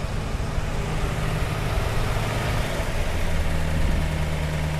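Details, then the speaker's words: 1948 Buick Roadmaster Model 79, 320 cu in OHV inline eight, warming up at idle just after first fueling: low, even burble with a steady rhythm, no misses or ticking, firing on all eight; slight fuel leak at the refitted fuel filter bowl. "definitely need to fix that fuel leak but man that thing sounds good it sounds like it's running on all eight yeah you notice how smooth it is"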